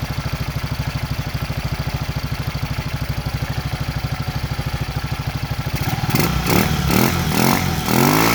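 Even single-cylinder thump around three beats a second at idle, then a few clean blips of throttle; engine runs healthy.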